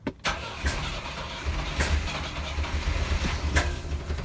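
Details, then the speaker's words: Volvo 122S Amazon sitting 23 years, fuel line unhooked from the tank: uneven cranking turning into a rough, stumbling catch with low thumps, shut off as gas sprays everywhere; engine running briefly on residual fuel. "I have to shut it off. It wants to run. Yeah, that was pretty good, but it's it's just spraying gas everywhere."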